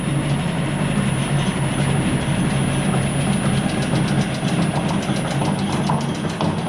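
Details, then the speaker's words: Industrial machine with no blade fitted, run in a home shop at the factory 60 Hz through a VFD and slowed on the factory pulley speed control: steady low hum with a quick regular knock from a slightly misshapen drive belt. "that knocking is from our belt being a little bit off so you can see how slow we can get this thing"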